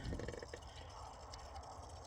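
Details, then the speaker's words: 2011 Ford Territory 2.7L V6 diesel with failed in-tank fuel pump, priming by hand pump; quiet rapid knocking and gurgling as fuel pushes through the line. Air in diesel fuel line being purged. "Just going to let this go until we get some kind of clean flow of diesel. As you can hear, it's hammering and dancing it way through there."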